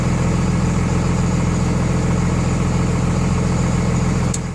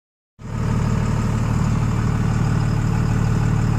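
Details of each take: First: 24-valve Cummins diesel after installing DDP 50hp nozzles (4200 psi pop) to cure idle miss, Quadzilla tuner: even steady idle, regular knock-free beat, about 850 rpm versus factory 900; normal idle. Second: 24-valve Cummins diesel truck before nozzle swap (stock pop pressure about 3500-3800 psi), miss at idle getting worse: deep idle with uneven lumpy beat about three times a second, stumbling firing rhythm; misfire at idle.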